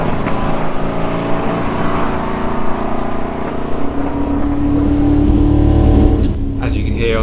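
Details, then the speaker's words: Car on its first-ever drag strip run at full throttle. Loud engine pulling hard, with a note that stumbles unevenly. Misfire, which the owner suspects came from spark plugs fouled while idling to warm up. "getting a bit of a misfire but I think this was just caused by the plugs getting fouled up whilst I was letting it idle to warm up"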